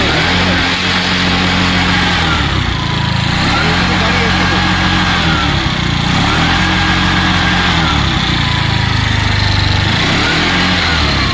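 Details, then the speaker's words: Piaggio Ape City CNG auto rickshaw with starting problem, after opening the gas line part to bleed trapped air that was blocking gas pressure: steady even low putter, regular firing beat, no misses or knocks; now idling smoothly, repair complete. "এখন ইনশাল্লাহ গাড়ি complete."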